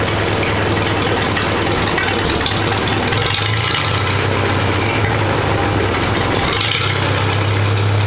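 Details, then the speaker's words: Farmall Super A four-cylinder after a Pertronix electronic ignition install (12V negative ground), timing adjusted and a new fuel line fitted to cure air and fluttering. Slow, even very low idle, no misses. Normal idle. "you can hear this uh electronic start or electronic ignition it sounds real nice the idle's at almost nothing now"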